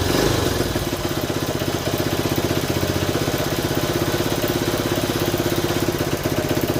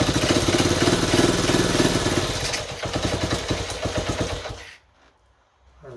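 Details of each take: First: 1970 Honda Trail 90, non-runner said to have overheated, first start: single beat about four pops a second stumbling and hunting unevenly; choke had to be feathered, owner suspects a clogged pilot jet, debris later found in carburetor. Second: 1970 Honda Trail 90, previously non-running, owner said it overheated: small single fires and runs with a steady popping beat of about four a second before shut-off; major fuel leak noted; normal running.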